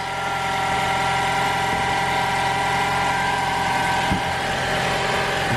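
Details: 2021 Toyota RAV4 Prime SE engine running in charge mode right after its first oil and filter change (0W-16), during a leak check: smooth, even petrol idle hum with no knocks or ticks. Filter seemed to weep but wasn't leaking.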